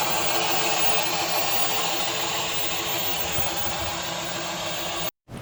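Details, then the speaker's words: 2023 Kia Niro hybrid, 104,000 miles, noise driving forward and reverse: loud continuous scraping hiss with a steady grinding edge, no clear rhythm; dual clutch transmission scraping noise. "Yeah, that loud scraping noise that's coming from that dual clutch transmission."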